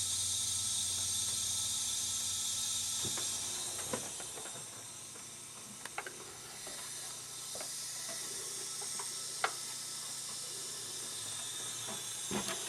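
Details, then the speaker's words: Lincoln A/C after compressor replacement, system evacuated of air; opening the valve gives a steady high-pitched hiss with light clicks as refrigerant flows in normally; low pressure switch expected to pop and enable the compressor. "we should have all the air out of this thing now so when if I did this right when i crack this open the air should go right into the system"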